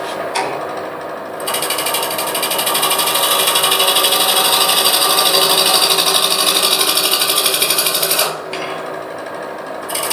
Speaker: I don't know if you could hear the ticking as I was bringing that down but the ticking is where I'm coming around and hitting the ingrain fibers and it sounds different than when I'm cutting the side grain fibers